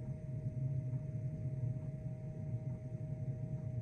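Low steady burner rumble with a faint regular pulsing tick from the dosing pump underneath; heater running normally.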